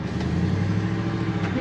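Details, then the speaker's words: 2000 Ford F150 4x4 5.4 with a damaged transmission, on a test drive: a steady low whine rises over the running noise once it is put in gear. The transmission pump is screaming. "thing's junk did you hear that trans pump start to scream at us and I put it in gear yeah pumped his junk"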